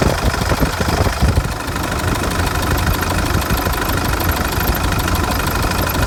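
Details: 2005 CRD diesel, after harmonic balancer replacement: steady clatter at idle with an extra knock on each turn; source unconfirmed, the new balancer is suspected.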